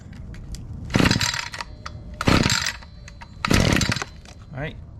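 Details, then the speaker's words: Echo SRM 2620T two-stroke string trimmer with 156 hours, after a DIY tune-up, on 90-octane ethanol-free fuel with Amsoil Sabre 100:1. Cold start on choke: three sharp pulls, the last catching with a short uneven bumble, then the choke is turned. "Once it bumbles a little bit, turn the choke"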